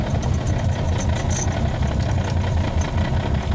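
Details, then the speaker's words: Manual-swapped 1998 BMW 328i E36 on first drive, parked in neutral; loud low rattling chatter over a steady idle, lightweight flywheel rattle rather than an engine fault. "well this car is making an assload of noise right now"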